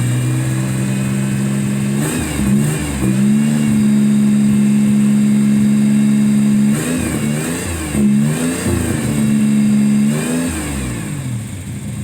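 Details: 1994 Toyota 4Runner 3.0 with code 31 (mass air flow sensor): steady idle with three quick throttle blips, pitch rising and falling cleanly. Owner suspects a faulty MAF or possibly an oxygen sensor causing uneven, rich running; not proven.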